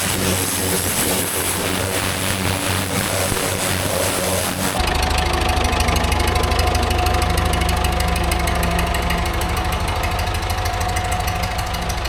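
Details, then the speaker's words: Vintage David Brown 990 diesel tractor, revived after 20+ years abandoned, clutch freed: steady clatter about three firing pulses a second, even and unlabored, no misses; running sound. "That's running pretty sweet now."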